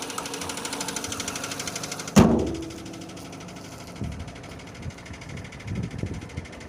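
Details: Renault Scenic II K4M 1.6 with automatic, 202,000 km: idling with regular low tapping, then one loud bang and scattered dull thuds from below, appearing as engine warms; bottom-end knock, cause unknown.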